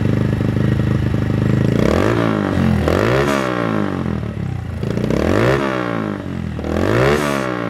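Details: Honda Monkey startup after TB Parts exhaust, MNNTHBX intake and CJR Performance ECU tune: small single revs up and drops back in several clean, crisp throttle blips, no knocks or rattles; sounds healthy.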